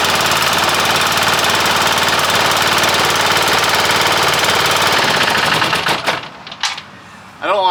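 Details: Long-stored military Hatz 1B20 single-cylinder diesel pressure washer, started with starting fluid: rapid, even diesel clatter holds about five seconds, then fades as it shuts off. Healthy run.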